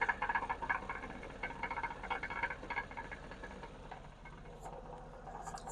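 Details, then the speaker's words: 2007 GMC Yukon Denali, 6.2 L LS crate engine with a couple thousand miles, idling, microphone underneath: a quick, tinny repetitive knocking about four taps a second, mistaken for engine knock but from a loose catalytic converter core. "and hopefully you can actually hear the noise here underneath the vehicle quite clearly it's a repetitive knocking sound"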